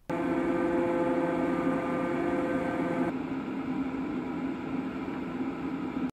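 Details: Fantech FR100 radon mitigation inline fan after new motor bearings were fitted to fix a low grinding/whine, bench-tested wired to a plug before resealing: a steady, even motor hum with a clean tone and no grinding or rattle. This is a normal fan.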